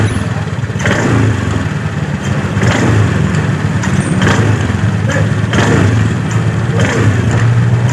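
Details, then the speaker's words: 2018 Honda Scoopy scooter: at low rpm when throttle is pulled, rattly vibration from the CVT case, rear wheel creeps at idle, owner reports low power; worn clutch shoe linings. "jadi lebih tepat suaranya saat RPM bawah saat kita tarik tuas gas sekaligus kita gerak itu ada suara betah jadi ada suara Getaran ini bagian area blok CVT"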